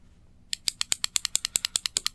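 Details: Replacement microwave-type microswitch for a space heater tip-over switch, held at the microphone: crisp, sharp clicks about every tenth of a second, each clean and snappy; switch working as it should.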